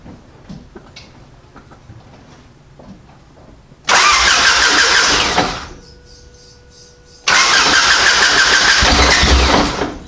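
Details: Lifted Honda Civic, engine just reinstalled with new XTD clutch, fuel primed: two loud bursts of starter whirring, each a few seconds, no firing; owner then finds car was left in gear.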